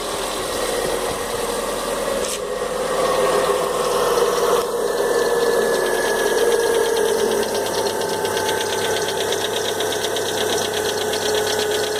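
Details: Fox idling with engine noise the owner can't identify. A fast, uneven metallic knock of about three to four per second rides over the idle. Knocking noise, cause unknown, needs investigation.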